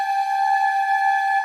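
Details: Water heater giving a steady, horn-like whine at a fixed mid-high pitch, like a train horn, while water runs from the faucet.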